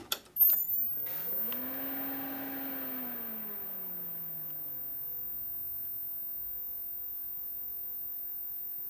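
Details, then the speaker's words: Robotron A5120 computer monitor at power-on, pot previously broken and patched: falling hum settles into a steady, thin, very high flyback whine; no picture on screen, cause unknown. "okay there's nothing so nothing like I mean really nothing hm I hear the noise from the flyback Transformer but it really doesn't draw anything on the screen"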